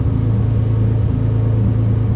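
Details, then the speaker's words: Nissan 300ZX engine idling while ECU self-diagnostics show code 55, no faults; steady even low rumble, no knocks, misses or surges; normal idle. "We got a code 55, which means there are no faults right now with the engine. Everything's running fine. We're not throwing any codes."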